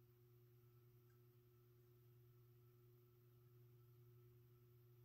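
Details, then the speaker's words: 52-inch King of Fans Grenada ceiling fan, mid-to-late 1980s, 172 mm motor, at low speed: low, constant hum with a faint higher tone; bearings quiet, the hum is vibration in the motor housing. "fans a bit hummy not the wrong not the most quietest fan you but can a pretty decent low speed here about a average the bearings on the fairing are pretty quiet most of the noise you hear it is a vibration in the motor housing"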